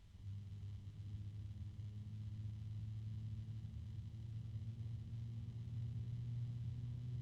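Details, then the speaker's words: NZXT F140 RGB fan, bare (not in a case), sound test at very low speed: steady low droning hum with faint ringing overtone, something rubbing and a loud harmonic resonance; resonance hum. "speed there's a harmonic resonance another [Music] one that's pretty loud again of course if this is in a case it's not going to be as loud"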